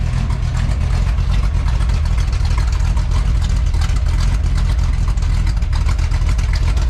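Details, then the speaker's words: 1966 Chevy C10 at first start-up and idle after installing a newly built first-time exhaust system; a deep, even V8 rumble with a steady low burble and no misses or ticks. Normal idle. "we need a sound clip we need to know what these things sound like all right guys i'm gonna get the camera set up we're gonna fire this thing up see what she sounds like"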